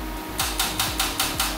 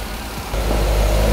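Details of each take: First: Salvage wrecked 2011 Corvette Grand Sport C6 (LS3 V8) on jumper cables and a starter box: rapid metallic clicking about five times a second with no cranking. The battery supply lacks the power to turn the starter. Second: Salvage wrecked 2011 Corvette Grand Sport C6 (LS3 V8), started with a jump box after earlier starter clicking: it catches and settles into a smooth, even, low idle with no misses, knocks or ticks, running healthy.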